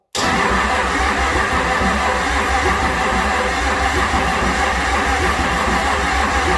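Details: 6.9 IDI diesel from a 1970 International Travelette, out of the vehicle, warmed under a tarp in 120° heat, injector lines loosened, jump pack powering the fuel shutoff solenoid, starting fluid sprayed: it churns over steadily on the starter but never catches. Cranks, no start.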